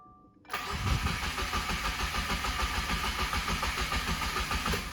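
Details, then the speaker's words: Rebuilt Subaru FA20DIT that won't run, cranked on a truck battery after the small battery couldn't turn it: strong, even starter cranking at about three turns a second, no start. Normal cranking. "okay we're doing the truck battery now let's see if we can at least get this thing to crank over"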